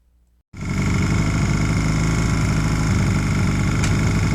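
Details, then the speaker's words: 1981 Honda CM200T, after the carburetor was cleaned and restored, with some tuning still needed because the carb takes too much air: it fires right away and holds a steady, even beat with no stumbles; runs smoothly. "and this is how it runs after the carburetor was cleaned and restored"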